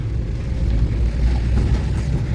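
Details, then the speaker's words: Renault Kangoo 1.5 dCi van, after replacing a shock absorber and a drive axle CV joint, drives over a bump with steady low road and engine rumble and no clicking or knocking: healthy drive axles. "şu an stabilized geçerken herhangi bir ses soluk yok"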